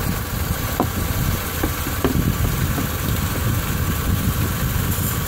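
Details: Engine idling in winter with the hood open after ABRO belt dressing was sprayed on: steady low rumble with no squeal on top; accessory belt whistle gone.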